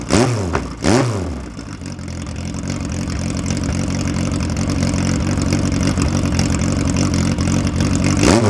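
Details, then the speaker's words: Ford 2.0L Pinto four-cylinder for a 1969 Ford Capri at first startup, warm, with 45mm Dellortos, a Piper BP300 rally cam and ignition advanced a lot: choppy rough idle that revs cleanly on blips, which is normal for the cam. "a bp300 piper cam which is a rally Cam and you can hear it it sounds rough idle but it revs very nicely"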